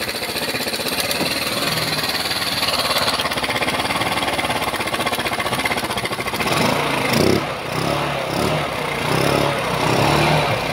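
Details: Rusi Motorstar GY6 scooter that would not start, after repairing the starter (XRM 110 carbon brush usable) and fixing its ground: fires up and runs with an even quick putter, then handling noise; healthy idle.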